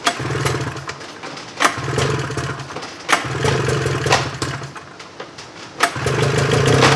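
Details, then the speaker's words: 1995 Polaris Indy 440 snowmobile after carb cleaning, new fuel lines, fuel pump and carb boots: sharp rope-pull snaps, each followed by low uneven two-stroke firing; starts without priming cylinders; normal start. "this would be without dumping gas down to cylinders one pull of the Rope"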